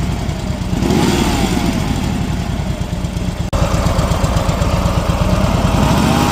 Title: Harley Dyna Street Bob 2010 Twin Cam Primary whining rattling noise